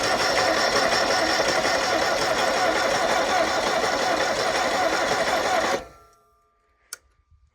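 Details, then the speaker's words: Ford Pinto four-cylinder converted to propane, driving a well pump after sitting for months, fresh oil change: steady starter churn about four beats a second for six seconds without catching; owner suspects it needs full throttle to start. "hey it rolled over I think maybe it needs Full Throttle to start"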